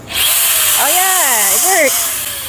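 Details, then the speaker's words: Power drill run from an inverter on a DIY leisure battery in an L300 campervan: motor whirs up, pitch rising and falling with the trigger, smooth with no stutter or bogging; normal running. "so here's the Moment of Truth we're going to see if we can run a power tool on this inverter on the Leisure battery they call this a Leisure battery all right so you see see if this works"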